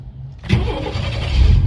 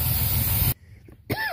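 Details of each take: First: 1994 GMC Jimmy 4x4, 4.3 V6 CPI, 191,000 miles, restarted after a long drive with no oil or coolant use: catches quickly after short crank, then smooth, even low idle with no knocks or misses; healthy engine. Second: 1994 GMC Jimmy 4x4, 4.3 V6 CPI, 191,000 miles, just revived after sitting six years: steady rough hiss over the running engine, then cuts out. Vacuum leak from a busted four-wheel-drive vacuum hose under the truck; owner suspects it causes the misfire.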